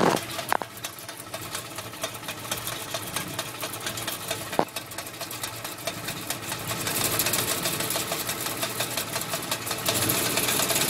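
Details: Willys MB (Maltournée) at idle: loose, uneven metallic rattle about twice a second; suspected from the clutch area, not confirmed.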